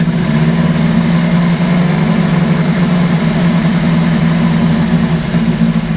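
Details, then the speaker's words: Suzuki GS850 four-cylinder scrambler after sitting all summer, oil leak fixed and correct main jets fitted, idling a while after a sticking float was tapped free: steady even idle, smooth low hum, no misses, knocks or hunting; battery charging to nearly 12 V; normal idle. "The bike has been idling for quite a while now, and I think the battery's charged up."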